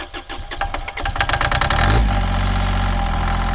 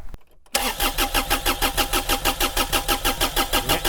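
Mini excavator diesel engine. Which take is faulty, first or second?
second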